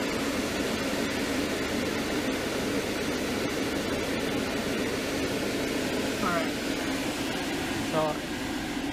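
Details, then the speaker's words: 2002 Mercedes-Benz C230 Kompressor (W203) with AC on after replacing the HVAC stepper motor and its broken arm lever: only an even blower rush behind the dash with no repeating clicks; the actuator now works. "it looks like it's working now, so I am happy for that."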